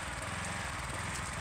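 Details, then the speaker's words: Gas power washer engine that ran rough, lacked power and cut out, and a new spark plug didn't fix it; after the repair it holds a steady, even drone under load with no misses or surging. It runs stronger and smoother, and the problem is solved. "you can notice a difference in the way it's running much stronger much smoother"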